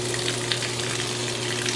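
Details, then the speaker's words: Discarded, non-functional GE washer with a mechanical timer, belt-driven motor and separate pump motor, under testing: a steady motor hum with a low tone and rushing, splashing water on top, showing the drain pump running normally. "turn it on for Less power turn it off for more power what oh yeah nice so the pump is working"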